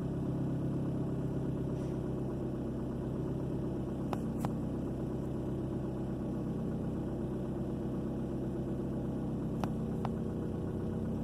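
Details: 2003 Ford Focus four-cylinder after fixing a #2 cylinder misfire (code P0302): smooth, steady idle with no stumble or skip, quiet even hum; running clean now.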